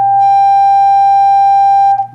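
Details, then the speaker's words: Fender Hot Rod Deluxe tube amp after repairing a bad resistor in the phase inverter circuit, which caused low output and distortion: steady clean test tone for about two seconds. "can see she's back to life nice clean sign W that issue is fixed"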